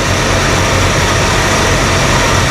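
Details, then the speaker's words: 1978 Dodge Ramcharger V8, running again after a water pump job, with 60 psi oil pressure: a steady, even idle under fan and exhaust noise, with the earlier tick gone. Normal idle. "just gonna keep it open for now yeah that tick's gone that's good news that makes me feel better"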